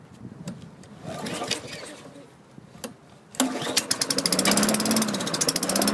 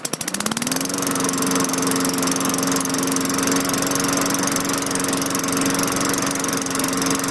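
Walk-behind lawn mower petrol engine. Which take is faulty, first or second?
first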